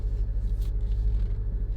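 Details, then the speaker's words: 2006–2011 Honda Civic on MaXpeedingrods coilovers after greasing them to cure a popping noise: only a low steady rumble while creeping along, with no pops, clunks or creaks; the suspension is quiet. "Exactly, you don't hear nothing at all."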